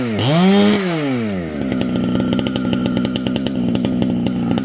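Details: Modified Husqvarna 455 chainsaw with newly made exhaust pipe/can, compression building: blips, dips, then screams up to a steady high crackling wail at full throttle, clean and strong with no bogging or surging; normal full-throttle running.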